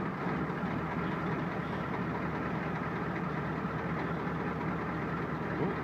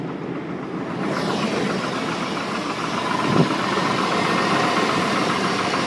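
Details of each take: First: Ford 7.3 diesel cold start on a cold morning, around 39°F, after glow plugs cycle, with some smoke: deep, steady rumble with an even low beat and no misfire or knocking; healthy cold idle. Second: Chevy Silverado 1500 on a cold start at idle with the hood open, about 20 psi oil pressure and a lot of metal found in the oil at the last change: a faint, regular knock of about four a second. Internal engine knock, cause undetermined.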